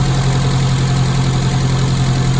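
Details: Classic Mini carburettor engine after Gunson Colourtune mixture and idle adjustment, blue plug flame: smooth, constant idle around 900 rpm, even beat, no hunting or knocking; healthy, well-tuned.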